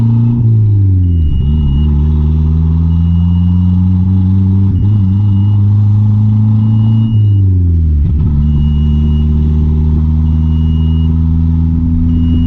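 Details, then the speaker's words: Mitsubishi Conquest turbo (G54B), after swapping fuel pressure regulator: engine pulls, then sags and stumbles about every three seconds; bogging, owner suspects it runs so rich it chokes out, AFRs erratic, fuel pressure correct. "so I'm pretty much at a loss I don't I don't know what else it could be it's just it gets so rich that it like I don't know chokes itself out"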